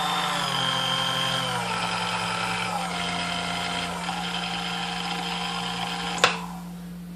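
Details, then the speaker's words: New-old-stock Sunbeam Mixmaster Model 11 found new in box but not working, after service with cleaning, lubrication and gear and bore polishing: smooth, even motor hum with steady whir, no knocks or grinding; runs like brand new, normal running. "right so I mean it does run like brand-new which is kind of what we suspected it would do"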